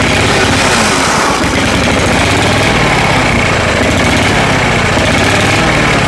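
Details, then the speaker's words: Cheap second-hand lawnmower engine, carburetor needing adjustment, run with engine shutoff in shutoff position: runs rough and uneven at low speed, won't rev, hunting; owner suspects fuel starvation. "That's in the shutoff position, and that seems to be where it runs the best, although it's not getting revs. It sounds like it's kind of starving for fuel."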